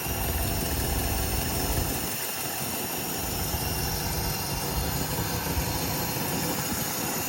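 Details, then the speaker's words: 1954 Cadillac V8 idling in neutral right after first start, fluids unchecked and nothing serviced; steady even smooth low rumble with no knocks or misses, runs really good. "Yeah, that's true. Our battery would fall out, but runs really good."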